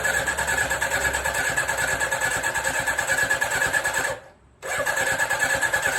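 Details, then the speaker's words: 1983 Suzuki GSX750ES four after rebuild, carbs newly installed, first start, no exhaust fitted, maybe needing choke: uneven cranking, loud open-pipe popping, short stall-like drop, ragged catching; slow to draw fuel, then runs on all four. "that took a while for things to sort of get a bit of compression and then suck some fuel in and whatever but uh yeah it's actually doing something and sounds like it's running on all four"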